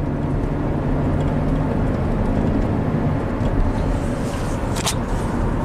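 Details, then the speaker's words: 2009 Chevy Traverse V6 GDI, 190,000 miles, with misfire and VVT codes, on a test drive after being topped up from 3.5 quarts low on oil; smooth, even engine hum with no clatter or chatter, cam variance under two degrees. "all right let's see how she drives nice and smooth as expected"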